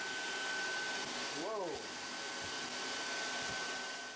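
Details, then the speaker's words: Air Venturi Nomad 2 portable PCP compressor, plugged in and powered on before the compressor is started: the cooling fan rushes up in pitch to full speed, then settles into a steady airy whir. The cooling fan runs normally. "step two you're going to turn your power button on and you're you'll hear your fan ramp up and start running at full speed"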